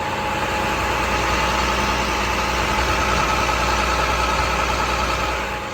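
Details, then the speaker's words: 2012 International Durastar 4400 crane truck, diesel: steady, even idle with smooth regular beat, no knocks or misses; engine sounds healthy. "Sounds healthy, goes down the road as it should."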